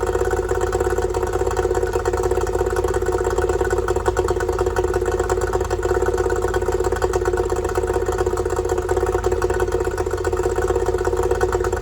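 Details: Yamaha two-stroke outboard after fixing oil leaking out of the bottom of the carburetor: no more oil coming out; steady buzzy idle at even pitch with a constant rattle underneath, no misfires; normal idle.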